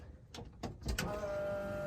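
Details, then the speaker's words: 1978 Chevy 3/4 ton, electric fuel pump switched on with fuel cell holding about 10 liters, new carburetor with floats and choke just set up: a few clicks then steady faint hum as pressure builds; healthy pump priming. "tested the fuel pressure you want to turn on the fuel pump"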